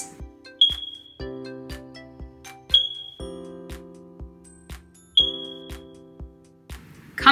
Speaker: if you hear a chirp sound like